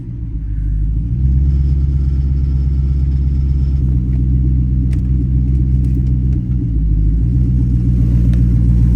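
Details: 2010 Dodge Charger running after replacement of damaged heads: the engine catches and settles into a steady, even low rumble with no knocks or ticks, sounding healthy.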